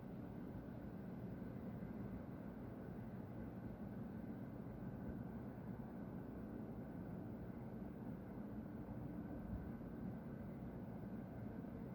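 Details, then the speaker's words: Loud, steady low roar with a dull rumble underneath from the industrial plant next to the recorder's home, past midnight on 30 June 2020; owner suspects a compressor being vented, with white smoke seen, cause unconfirmed. "Essa zoeira tá vindo da Márcias Dayana. Eu não sei quanto tempo vai ficar isso. Eu acho que estão esvaziando um compressor, ou é outra coisa, é pra vocês verem, tem uma fumaça branca saindo de lá."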